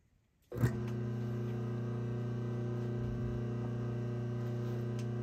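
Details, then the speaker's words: Restored vintage Delco 1/3-hp electric motor, after cleanup and continuity checks of centrifugal and thermal switches: snaps on and runs with smooth, steady even-pitched hum, no rubbing or rattle, shaft balanced; healthy running. "okay that's very rewarding and uh take a look at that shaft how nice and balanced it is and uh cleaned up with the belt sander and uh listen to the wind down after the shut's off"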